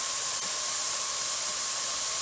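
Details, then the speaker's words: Presto pressure canner, heat turned down after venting too hard: loud, even hiss without sputter or pulsing; normal continuous steam vent, needs steady stream for 10 minutes. "needs to be a steady stream for 10 minutes mine's almost there"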